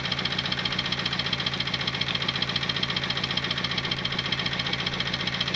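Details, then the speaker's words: Turbocharged Honda Civic petrol engine, suspected blown, idling: steady sharp knock almost four times a second over the running note. The timing chain is throwing a lot of oil, a leak-down test showed the valves fine, and it is later misfiring with the check engine light on. "Okay, so you heard the knock a little bit, and the timing chain is kicking up a lot of the oil."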